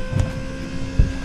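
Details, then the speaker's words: Car at key-on after build work; faint steady electric whine over wind rumble as fuel pump engages. Normal fuel pump priming. "Déjà, la pompe s'enclenche."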